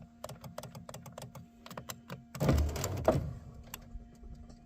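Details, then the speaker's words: 2003 Chevrolet Tahoe passenger power window that will not come up: clicks then brief grinding crunch as motor strains, glass not moving; regulator or window motor suspected, not confirmed. "you hear the crunch you hear the crunch no more nothing"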